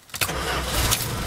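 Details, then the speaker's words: 1987 Dodge Ramcharger 4x4 SUV; the first start attempt sounded like a low battery, then a quick crank catches at once and settles into an even, clean run with no misses or knocks, a normal healthy start. "yeah that's how it's supposed to sound"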